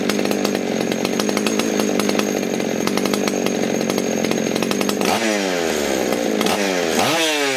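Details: Ported Husqvarna 61 chainsaw, 48mm open port, Dukes piston, over 200 PSI compression, 28-inch bar, likely late 70s–early 80s, unstarted for months: crisp high steady full-throttle scream then quick clean blips; strong, healthy and snappy running.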